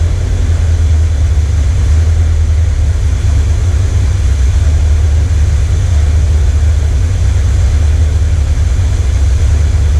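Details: 1979 Corvette L82 V8 after the choke opened, hood down, smoke test found no vacuum leak: deep, lumpy idle with wavering loudness, stumbling. Owner suspects a non-working carburetor idle circuit with the transfer circuit compensating; not confirmed.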